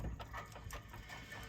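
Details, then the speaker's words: Volvo 242 rear differential, 3.31:1 (43/13) gear: quick even clunking, five or six a second, as one wheel spun by hand with car jacked at differential; damaged ring and pinion gear teeth. "clunk, clunk, clunk, clunk, clunk, clunk, clunk, good chance it's not great."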